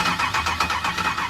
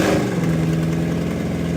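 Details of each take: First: 1964 Chevrolet El Camino with LS engine swap, first start-up, fuel not yet hooked up, fed only starter fluid: short cranking with a few uneven pops that never catch; crank no start from no fuel supply. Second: 1964 Chevrolet El Camino LS-swapped V8 after fuel system hooked up, first start: deep steady rumble settling into even idle, no knocks or misses, sounding stronger; normal idle.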